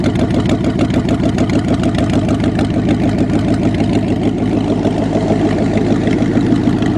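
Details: Engine restarted after two black, wet, fouled spark plugs were replaced, idling on its own with no starting fluid or throttle; steady, even idle about two hundred beats a minute, no misfires or hunting; fan clearance was also made at the radiator cradle.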